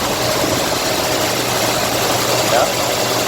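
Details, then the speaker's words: 1957 Lincoln Premiere, 368 cu in 300 hp V8, just restarted after sitting unused for six months, with good oil pressure and charging. The idle is smooth and steady with a faint valve tick underneath. Normal idle. "now the engine sounds pretty good let's go listen here we are ticking away if you guys can hear it but it sounds pretty smooth right now"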